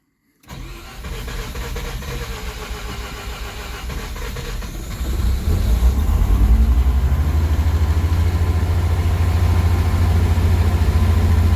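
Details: Mazda RX-7 FC Series 5 rotary, cold start after not running for over a decade: engine catches and runs a bit high and uneven, then settles into normal steady cold-start idle after a few seconds.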